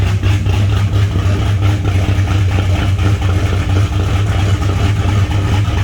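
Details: Car with a fairly big cam, idling cold to warm up: deep loping idle with uneven rolling exhaust beat; normal lopey idle.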